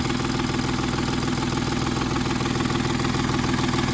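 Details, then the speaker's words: 2010 Volkswagen Touareg diesel that stopped while driving: lumpy, uneven idle at about two pulses a second and cutting out on throttle. One bank contributes and the left bank does not; no compression on the left bank. "this bank is contributing but this bank is not"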